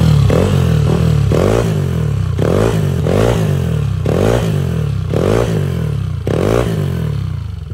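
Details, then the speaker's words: Yamaha NMAX V2 scooter with 63 basic setup (previously bolt-on only): smooth throttle blips about once a second, clean pitch changes, no knock or rattle; quiet, healthy engine. "Goods na to, tahimik na yung makina."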